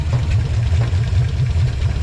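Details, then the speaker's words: 1956 Chevy 150 with a 35-year-old V8, just started with no adjustments, running on the fuel pump, timing not yet set; deep steady burble, no knocks or misses: normal idle. "No adjustments. We just started it. I'm so happy. That means the ignition's all working good."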